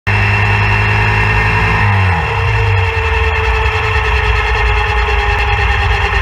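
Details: RX3 motorcycle at 987 miles: steady high whine from front wheel at low speed and when coasting clutch-in, continuing as engine drops away; present since purchase, owner suspects brake pads rubbing rotor or wheel bearings, unconfirmed.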